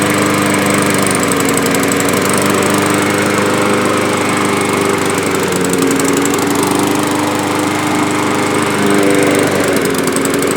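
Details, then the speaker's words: Yard-Man push mower, probably 2003, sat unused a couple of years with old gas and black oil, surging at run speed, pitch sagging and recovering; dirty carburetor needing cleaning and diaphragm gasket. "this thing's running like a bag ass so it definitely needs to be yes can see how dirty nasty that is"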